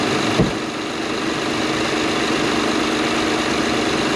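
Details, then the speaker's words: Acura TL after replacing coil and spark plugs for a cylinder 6 misfire (flashing check engine light, rough running): quick start, then smooth, steady idle with no missing or skips; normal idle. "you can hear now how it's not missing it actually sounds really great better than it did you"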